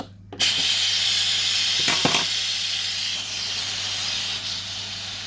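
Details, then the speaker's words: Pressure King Pro electric pressure cooker cooking chili nachos, quick release, covered up. A loud steady hiss gradually softens as the steam runs down, nearly finished, before the lid can be turned. Normal pressure release venting. "I know some people are really scared of all this steam. Just cover it up, walk away, leave it. Can you hear it's really, really running down now?"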